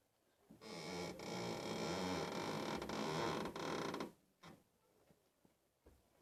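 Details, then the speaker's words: Nissan Tsuru/Sentra steering at low speed: drawn-out creaking squeak of about three seconds as the wheel turns, then quiet, sounds like a shock absorber but comes from a steering tie rod end with a torn dust boot and dirt inside; lubricating it stopped the noise. "el problema está en una de las terminales en de la dirección el sonido se transfiere por todo el metal pues toda la suspensión la dirección y es un poquito difícil identificar o encontrar exactamente la causa o la razón del sonido este"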